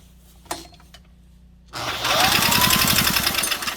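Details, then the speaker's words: Scrap-pile Honda 160 cc small engine cranking: quick regular chuff about four times a second, popping back through the intake/carb; owner suspects a stuck intake valve. "We were popping through our intake, so I wonder if our intake valve is stuck. That was a weird noise."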